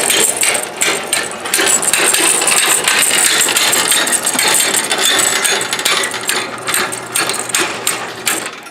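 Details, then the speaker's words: Garage door opening: rapid metallic clicking and rattling, about two or three a second, from a three-inch cable pulley with play in its bearing; the fix is replacing the pulley plate. Finding: worn pulley bearing clicking. "you see these three inch round pulley and as you can see all your cables run over the top of it here and around over here and if you look right up in the bottom right there you can see that there's a little bit of play inside there watch what happens"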